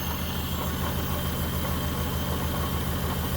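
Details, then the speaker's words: 1974 Honda Civic series 1, 1.5 L engine at idle: lumpy, uneven beat with regular stumbles, a misfire; the owner suspects a spark plug lead, the spark plugs or possibly still the head gasket. "there could still be an issue with the head gasket because it is misfiring it's missing but that could be just a simple let's see any spark that could just be a simple cable issue here could be spark plugs"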